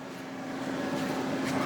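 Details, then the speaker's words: Shop-built 4x4 woodworking CNC mill controller, AC section: the contactor switches on, bringing the VFD online and powering up the stepper motors, with the Gecko-drive temperature indicator lit. Steady low electrical hum with a faint tone near 250 Hz and soft fan rush. Normal. "That's the temperature sensor for my Gecko drives, and the VFD is now online. You also heard the stepper motors power up."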